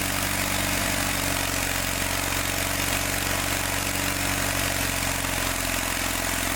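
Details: John Deere 318 lawn tractor, started with help from starting fluid, runs uneven and lumpy with an irregular beat and a rough, labouring note, and it got hot fast; points gap too small, an ignition problem.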